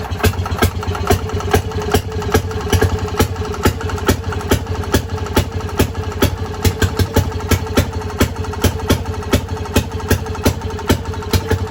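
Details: Fairmont RO-C single-cylinder engine with buzz-box ignition on a modern battery, run stone cold on a roughly 90-degree day with spark retarded and carburetor at 2 turns; fires in a steady, even beat two to three times a second, running clean and healthy after a cold start.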